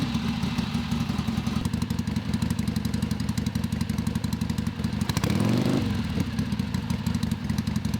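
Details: Father's 1970 Harley-Davidson Sportster XLCH, air-cooled V-twin, started after sitting a while, fresh 20W50 oil added: deep, uneven loping idle beat with no knocks or rattles; healthy normal idle.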